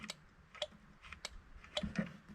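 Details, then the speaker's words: Rail motor car with a 12 V system, where an RC-car module is fed about 6 V through a resistor block and switches a relay feeding the coil: crisp single ticks at uneven intervals; the relay is clicking normally. "so there's a relay in there and you can hear the relay"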